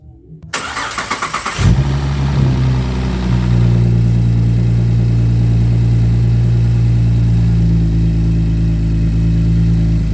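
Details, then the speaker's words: Camaro V8 with loud exhaust, cold start after moving the new coil to cylinder 1 and clearing codes: cranks briefly, fires, flares, settles into a steady even deep idle, previous 99-count misfires gone, only negligible single counts. "Remember before we had 99 count misfires, and it's running perfectly fine now."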